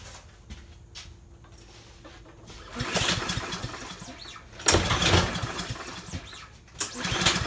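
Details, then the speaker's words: Dump-found Troy-Bilt 21-inch self-propelled mower, possibly Kohler engine with automatic choke, untouched: three cord pulls, no pop or firing even with starting fluid; no spark. "that's weird don't even go with go-go juice so that's telling me no spark"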